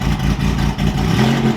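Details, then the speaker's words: Pontiac G8 started after about two months sitting: engine struggles to catch, then lumpy uneven idle with dips like a cammed motor or rotary, heavy smoke after; running rough. "oh it's struggling oh sounds like a rotary it sounds camped yeah okay it's a camp g8"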